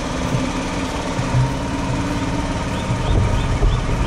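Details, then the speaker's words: 150cc GY6 scooter running as it should: small single-cylinder engine with an even, steady beat, no misses or stumbles; healthy idle and revving, starts easily, no smoke. "i'll go ahead and start it up for you so you can hear what it sounds like when how it's really supposed to sound and how easily it starts up as you can see no smoke"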